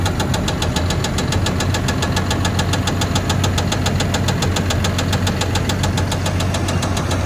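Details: A Cat skidder's diesel rumble has a sharp, regular knock about five times a second riding over it. An internal engine knock whose cause has not yet been found.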